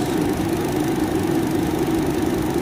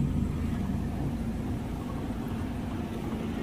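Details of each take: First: Car at about 114,000 km, idling, after replacing the worn radiator fan motor: an even, steady whirring hum with no rattle or wobble. The new fan runs very smoothly compared with the severe shaking before. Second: Car at about 114,000 km, idling, heard from the front: a faint rhythmic wobble, about four beats a second. The noise comes from a loose, badly shaking radiator fan motor vibrating the radiator, to be replaced.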